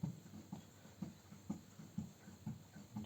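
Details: Mitsubishi Outlander front suspension: dull, low thuds about twice a second from a worn, leaking left front shock absorber. Both front shocks were replaced with new bled units.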